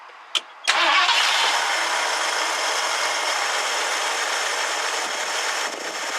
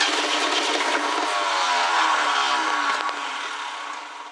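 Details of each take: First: 1969 Ford Club Wagon barn find with good oil pressure: it cranks quickly, catches within a second and settles into a steady, even idle with no knocks or misses. Normal start and idle while alternator charging is being checked. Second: 1969 Ford Club Wagon van being revived: cranking on starting fluid gives a few ragged catches that fade, so the engine fires briefly but won't keep running.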